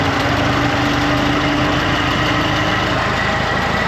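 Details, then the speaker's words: 1950s–60s "doodle bug" machine, possibly a former golf-course or highway mower, idling after oil was added to the generator's bushing end. A rough, gravelly hum runs under the steady firing; the generator growls, and the owner suspects a bearing at the other end. "Generator's a little growly. Yeah, that'll work."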